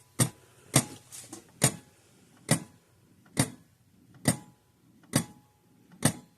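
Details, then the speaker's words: 1950s–60s Sears 6 V mechanical fence charger by Parmac with gold-plated points, on a bench supply at 6.5 V: sharp clicks about once a second, faster than normal; owner thinks an overlong stranded red wire was catching inside. "Why is it clicking so much faster? I think what's going on."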